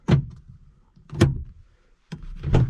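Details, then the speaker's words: Rover SD1 2600R project car: a refitted door shut three times, heard from inside the car, giving short deep thuds with no rattle or tinny ring that die quickly; solid, well-damped door that used to sound like tin. "but in the sound from inside the car is amazing good door"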